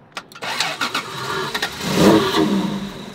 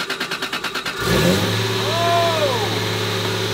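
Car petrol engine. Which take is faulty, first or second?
first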